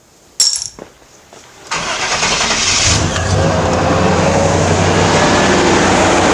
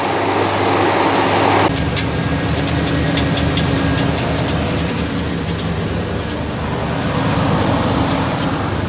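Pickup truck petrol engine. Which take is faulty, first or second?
second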